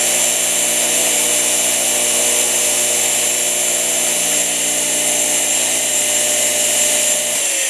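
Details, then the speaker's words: Rebuilt electric motor from junk donor parts, running on high speed: steady, even high-pitched whir with no knocks or grinding; sounds good despite a junk front bearing. "So, let's switch this over to high speed. runs on high speed. These do sometimes torque a lot on high speed. I'm just going to hold it. Wow. Don't sound bad at all."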